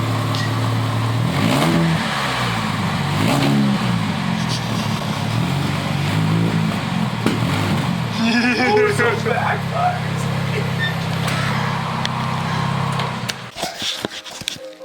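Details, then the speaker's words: Car with exhaust split in half after hitting a speedbump, before split-flange repair: loud raspy blat rising and falling with each rev, harsh open rumble; exhaust leak. "yeah we're about to fix the exhaust on this thing I've never heard it it's got some serious issues we're gonna try our best but this is what it sounds like right now"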